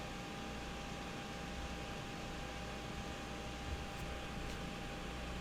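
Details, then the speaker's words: Galaxy DX2517 CB radio cooling fan running after the heat gun shuts off: soft steady whir with one faint even tone, no ticking or rubbing; quiet, barely audible at normal volume; normal fan running. "Once my heat gun shuts down, you'll be able to hear the fan a little bit. So there you go. You guys can hear that and see it working now. Nice and quiet."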